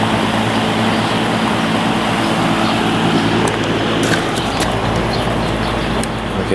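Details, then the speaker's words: Lakewood S23 fan running on high after blade straightening and balancing, drawing 2.24 A, 159 W, 0.59 power factor; steady even whoosh with low motor hum, no wobble or ticking, smooth and balanced. "Um so, I'm interested to see if this motor draws more amps than the other one does. So, go ahead and start it up on our high."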